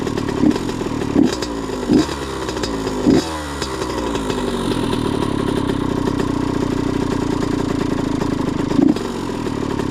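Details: Honda CR85RB two-stroke with a blown crank seal; a few kick-start clunks, then a buzzy, raspy ragged idle; owner suspects antifreeze contamination meaning a head gasket is needed, cause not confirmed; rough running.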